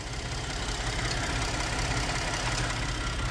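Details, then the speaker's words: Ford F-150 3.5 idling after a water pump replacement: smooth, even low rumble with no squeal, rattle or knock; the earlier noise is gone and there are no leaks. "it is now running no more noise it's gone no leaks we uh we wrapped that one up"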